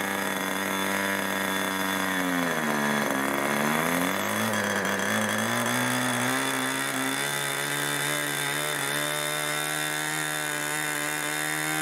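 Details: 1980s Irvine 40 MkII ABC glow engine with twin-needle carb, 10x6 prop, 7% nitro and 20% oil fuel, on its first run: a screaming two-stroke note sags and wavers, dipping around three seconds before recovering unevenly. It is running rich and the needle needs leaning.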